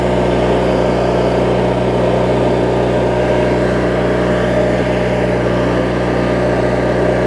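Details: Craftsman riding mower, 19.5hp Briggs opposed twin, after governor, idle speed and carb cleaning (water, corrosion), hood on: even, steady low hum at low rpm, no misses, surges or knocks; normal smooth idle.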